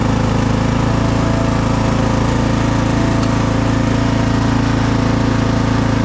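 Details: Craftsman DLT3000 lawn tractor engine, driven out of the shed: even, steady low chug at about three and a half beats a second with no knocks or misses; runs smoothly.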